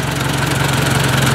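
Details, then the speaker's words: Ford 800 tractor after exhaust change: even, steady low putter at idle with no ticking or misses; engine sounds healthy, though owner suspects a cam follower pin/flat spot issue to inspect. "Sweet. Well, that sounds pretty nice. I think she's ready for plowing."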